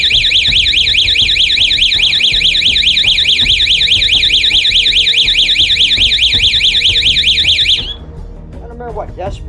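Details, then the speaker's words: 12 V outdoor motion-sensor alarm siren with red LED light: a loud, shrill warbling siren cycles about twice a second for nearly eight seconds, then cuts off cleanly; the siren works normally. "that is but it's pretty loud and I like the little red light that's another thing that would be really intimidating if somebody's trying to break in or something"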